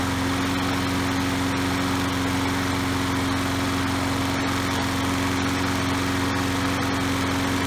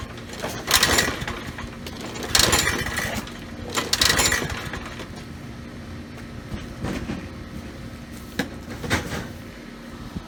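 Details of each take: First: Troy-Bilt self-propelled mower with a Briggs & Stratton 675 series 190cc engine, running after a new spark plug and a kill switch fix: a steady, even drone with a constant hum and no misses or knocks; it runs smoothly. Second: Troy-Bilt mower with Briggs & Stratton 675 series 190cc engine, curbside find: a few irregular pull-cord rasps with no firing; no-start, spark to be checked next.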